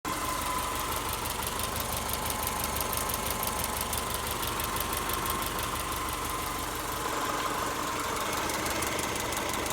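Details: Subaru EJ201 naturally aspirated engine at idle: steady light metallic ticking/pinging, about three ticks a second; owner doubts it's the timing belt tensioner, cause unknown.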